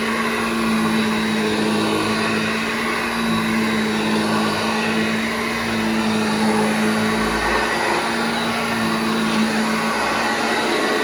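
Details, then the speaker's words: Vintage Hoover 1334 during full restoration, motor stripped, cleaned, bearings cleaned and reassembled: smooth, even motor hum with steady whoosh of air, no rattles or catches; runs cleanly and sounds much better. "Now that sounds so much better. So there we go, we know it works."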